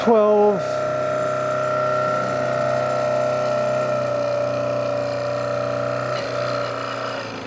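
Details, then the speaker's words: Rebuilt Hitachi 65B generator from a 1982-84 Harley Sportster spun on the bench with field grounded, making about 13-14 amps: steady mid-pitched whine that sags as speed falls; source of the noise unclear. "not sure why it's making that noise but full output just like the other ones"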